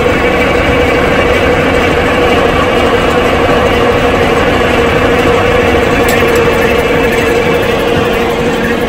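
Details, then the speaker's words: Cold Detroit Diesel 6-71 cranked with the fuel held off to build cylinder heat: long, steady cranking with a loose, uneven turnover beat; it never fires. "so here's a trick okay you come here and you hold this in the off position and go ahead and crank it"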